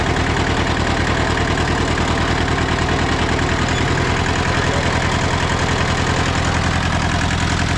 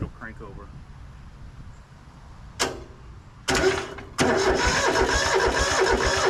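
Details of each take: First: Hinomoto (Southern) diesel tractor running after 2–3 years unstarted, radiator still needing replacement: steady low diesel clatter with an even firing beat and no knocks or misses, idling cleanly. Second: Rusty Hinomoto (rebranded Southern) diesel tractor, unstarted for 2–3 years and needing a radiator, jump-started through thin jumper leads: sluggish, uneven cranking that never catches. Owner suspects the battery and wimpy leads pass too little amperage for the glow plugs.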